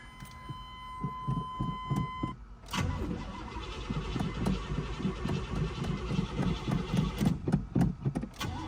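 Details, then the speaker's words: Old crew cab Buick wagon, new battery fitted after sitting about a month: long run of uneven starter churning at about three and a half turns a second before the engine finally catches, a slow start after sitting. "Let's see if it starts. It's only been sitting for a month."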